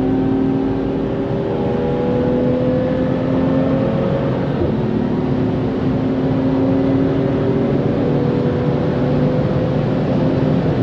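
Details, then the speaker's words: BMW M2 track car on a Nürburgring lap after its winter rebuild, engine pulling hard through the gears. No brake squeal under harder braking, after the pads were rubbed against each other and deposits cleared from the discs. "so a little bit harder on the brakes there but again still nothing"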